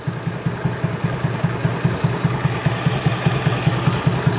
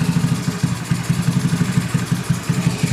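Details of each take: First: Honda Beat carburetor scooter after the automatic choke problem is addressed: a steady, even idle at about 2.5 pulses a second with no hiss. The engine keeps running with the intake hole covered, a normal idle. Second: Carbureted Honda Beat scooter, over 8 years old, with very high fuel consumption: rough idle with rhythmic huffing and sloshing from the carburetor intake, like an air leak; engine dies when the port is covered; faulty automatic choke.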